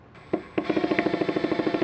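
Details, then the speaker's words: New Makita DHP481Z (XPH07) combi drill in drill/driver mode. Rapid hard rattling, about thirteen knocks a second, when pressure is applied to the spring-loaded chuck; the hammer stays engaged regardless of the mode collar, apparently a factory defect. "doesn't stop and that definitely should you know obviously for screwing and stuff you don't want the hammer rolled on"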